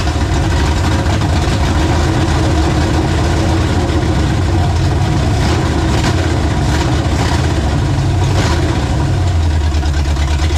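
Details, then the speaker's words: 1967 Mustang drag car V8 at first start after not running for 30 years: loud, loping, choppy idle beat that rises and falls, some smoke; lopey idle from an oversized, aggressive camshaft. "That's got a juicy cam in it, buddy. It's too much cam, huh?"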